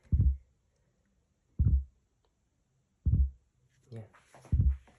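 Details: Klipsch R-10SW 10-inch subwoofer making constant deep thumps about every 1.5 seconds even with the input removed; amplifier pulsing on its own, cause not yet confirmed, power supply to be checked; rhythmic thumping with no input.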